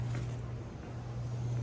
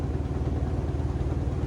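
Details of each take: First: Ceiling-mounted air conditioner blower after replacing a blower wheel that had thrown a blade and run out of balance: smooth, even low hum at one steady pitch, no wobble, rubbing or knocking; new wheel and motor running balanced. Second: Carrier rooftop air conditioning unit, noise reported from the ceiling: deep steady rumble with a fast, even throbbing wobble felt as room vibration; blower wheel had thrown a blade, causing imbalance, fixed by replacing the blower wheel.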